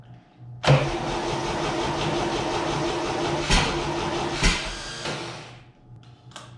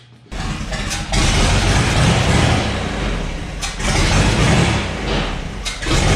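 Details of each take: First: 1962 GMC 2-ton truck 305 V6, roughly 50 years old, fed from a marine fuel tank: slow, labouring crank with uneven sputters that never catch into a steady run; hard start blamed on a weak starter and a dried-out carburetor accelerator pump. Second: 1962 GMC 2-ton truck 305 V6, about 50 years old, salvaged from scrapping: catches after a short crank, revs cleanly up and down, settles to an even run; runs, though likely needs starter, accelerator pump, carb rebuild, plugs and wires.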